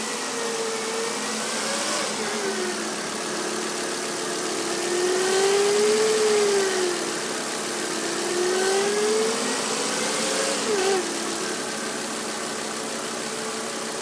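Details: Volvo V50 T5 at idle: steady idle with a wavering whine in the upper midrange that drifts up and down; an engine noise is present but its cause is not identified.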